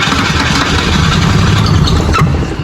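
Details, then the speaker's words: 1984 Holden VK Commodore, after the ignition coil was unplugged and unbolted from the engine: steady churning crank with a sharp pop instead of catching, sounds like running backwards; backfire through the carburettor, white smoke puffed out. "It sounds like it's not running on It sounds running backwards to me."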